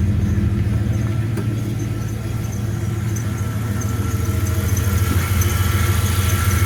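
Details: 1996 Ram idling steadily and evenly with no knocks or misses after being jump-started with an EverStart 1000 amp peak jump pack, which would not start a Falcon; normal idle.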